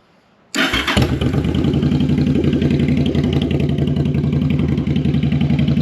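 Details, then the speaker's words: V-twin bobber with a newly fitted Cobra exhaust, warmed up, on a vacuum manometer: lumpy, uneven idle with an irregular pulse; one carburetor pulling much more vacuum, so the carbs are unsynchronized and need adjusting. "Okay, so one is definitely pulling a lot more. So let's adjust and then see what happens."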